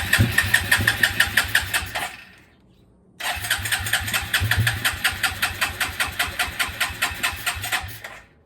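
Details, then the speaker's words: 2000 Suzuki Quadrunner 250 4x4, 603 miles, sat about 2 years, choke on, fuel on reserve, brake cleaner sprayed in the airbox, jump pack nearly flat: two spells of quick even cranking, about three beats a second; hard starting, briefly runs. "My jumper was really low on charge, just about 2%. It did start up for a bit right now."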